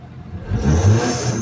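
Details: Mitsubishi Lancer Cedia automatic that kept stalling, after everything was refitted: the engine climbs smoothly from low idle into a brief rev and drops back, with no misfire or clatter. Normal free rev.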